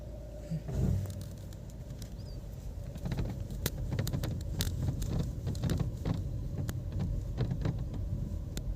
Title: taigun virtus rattling noise in all doors while driving all doors beeding rattle rubbing #vwvirtus